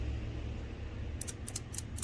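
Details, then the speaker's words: 2007 Honda Odyssey 3.5 VTEC with code P2647: VTEC solenoid removed and flushed with carburetor cleaner, then energized; several sharp crisp clicks over a low engine rumble, one per power application; solenoid switches properly, normal click. "it's working it works as in the solonoid itself does work"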